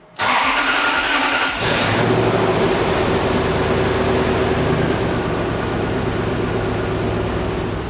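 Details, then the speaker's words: Toyota Sequoia V8 first start after timing belt, water pump and aluminum radiator replacement with fresh 10W-30 oil: idle shakes with uneven stumbling beat; owners suspect misfire. "It definitely feels like it's misfiring a bit though, but we're gonna drive it up and down the street and see what happens. It is not happy though."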